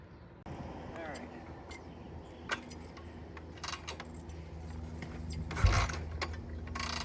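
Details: 1971 Triumph T120 650 twin after pilot jet and adjuster work, before a test ride: steady, even low idle with both cylinders firing cleanly and some key rattle on top; runs well.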